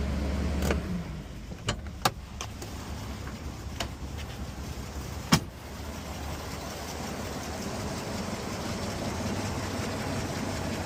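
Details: 1987 Toyota Land Cruiser FJ60, 4.2L 2F inline-6, after new spark plugs and PCV valve: sharp clicks at start-up then steady even low rumble, no knocks or misses; smooth healthy idle.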